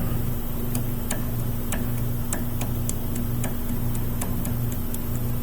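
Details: Saturn Ion sway bar link, removed with its boot torn off and rocked by hand. Sharp dry clicks about twice a second over a low steady hum reveal play in the worn ball joint; the links are replaced in pairs.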